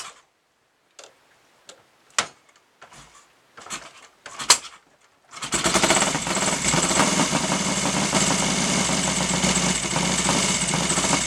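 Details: Royal Enfield Interceptor 750 twin, first start after top-end rebuild (new piston rings, valves cleaned and ground in) for heavy oil use and smoke: starts after a few clicks without smoking but runs rough; owner suspects carburettors and ignition timing need adjusting.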